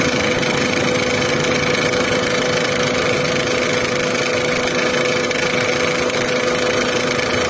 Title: Volkswagen Vento engine noise problem | Vento engine sound problem | #carengine #car #usedcar